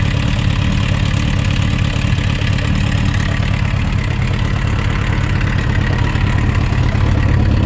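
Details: Suzuki RF900 with a rough idle and an uneven knock at roughly two beats a second under the engine note; engine knocking at idle, cause not yet found.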